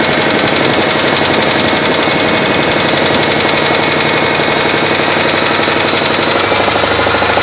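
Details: 1995 GM B-platform LT1 V8 at 278k miles: hard, steady metallic rapping over the idle, a knock every crank turn; spun rod bearing knock.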